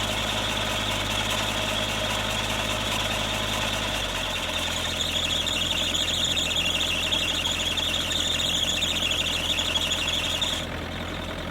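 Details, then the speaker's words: Kubota KX121-3 excavator diesel idling with overheating issue: steady high-pitched squeal over the idle; the owner suspects the belt driving the water pump and alternator, and a worn slipping belt is being replaced. "I have um an issue with the machine if you didn't realize on that first clip that I showed that it squeals a lot and um this is an ongoing thing and I'm pretty sure it's related to the Belt that drives the water pump and also the um the alternator"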